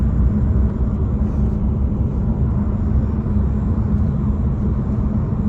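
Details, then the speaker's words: 2024 Nissan Altima cruising: steady low buzzing rattle behind the pillar over road rumble, starting when RPM rises to about 2,000 and stopping below; trim buzzing rattle. "Okay, and the rattle stopped. Starts again when the RPMs go up to about 2,000 RPM."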